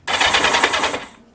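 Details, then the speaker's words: Kawasaki Z750 after starter motor rebuild (previously squealing and crunching): short, quick rattling crank of about a second with no squeal or crunch; starter spins the engine cleanly. "That sounds heaps better. So much better."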